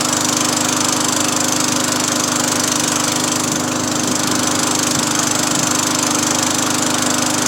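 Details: Free Craftsman 20-inch 4hp push mower after new cable and new carburetor, started after 5 primes: steady high-pitched buzz at constant speed, even firing rhythm, no surging or misses; mower runs healthy, owner thinks it's finally fixed.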